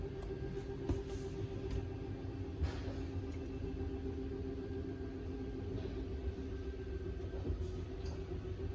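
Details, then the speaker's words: 2024 Forest River Wildwood 31KQBTS travel trailer, rear slide-out extending: steady low motor drone, then light clicking that signals full extension; slide-out motor working normally. "Hear the clicking so you know it's at its full extension."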